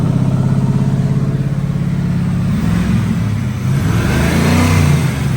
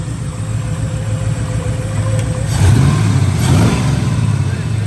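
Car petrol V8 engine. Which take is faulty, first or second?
first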